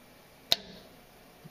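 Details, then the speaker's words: HVAC condensate pump safety setup with meter jumpers on the relay's normally closed circuit: single sharp relay click in a quiet room, then a fainter tick; relay operates normally. "do you hear the click of the relay?"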